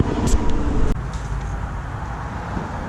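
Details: 2002 Silverado with a built LS V8, cold start after sitting since Friday: a brief start-up burst, then a deep, extremely loud, lopey rumble settling into a steady, healthy cammed idle.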